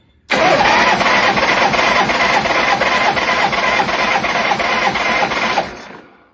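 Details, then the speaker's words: Shovelhead after top-end rebuild, compression test at wide-open throttle, plugs out: starter cranks in quick soft chuffs with no firing; front cylinder has some compression (a bit low), rear reads zero. Good spark, pushrods adjusted; rear cylinder quit on test ride. "That's not good really. But it's got compression on the front cylinder but not on the rear."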